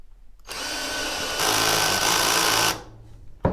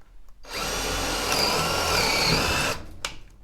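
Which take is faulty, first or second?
first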